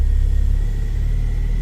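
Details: Ford Focus ST225 idle right after start following oil filter housing replacement (failed breather seal; idle had hunted at times): deep, smooth, even rumble, no knocks or ticks; oil light out, good oil pressure; healthy idle.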